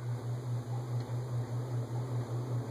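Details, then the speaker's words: Lasko Turn of the Century ceiling fan made for Sears, on high speed: steady low 60-cycle motor hum with slow even pulsing, louder on high; persists despite vibration-isolating material, attributed to resonance. "I don't know if you can hear the 60 cycle hum I can but there's a lot of other no background noise in the video so I don't know if it's being picked up and high hum's louder"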